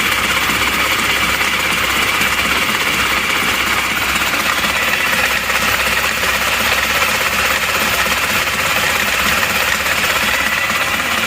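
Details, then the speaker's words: Panther LV Adventure diesel, owner complains it runs rougher than usual: rough idle with vibration at very low rpm and a thin steady high squeak over the clatter, suspected to be the fan belt, unconfirmed; oil warning lamp not lighting. "kalau goyangnya Emang seperti ini terus suara iyaknya itu saya rasa ini adalah suara ban kipas"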